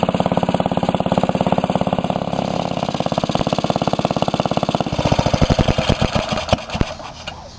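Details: 1945 Briggs & Stratton Model WMB single-cylinder engine, restored, with a rope starter, run after repainting: crisp, even firing at about three to four beats a second, steady and regular, then slowing as it shuts down; healthy engine.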